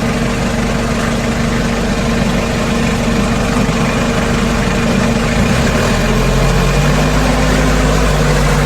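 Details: Kia K2500 4x4 diesel whose belt squeaked when the AC was on, after the AC belt and pulley tension were tightened; it idles evenly with the AC load on and no squeal or chirp, so the adjustment fixed it.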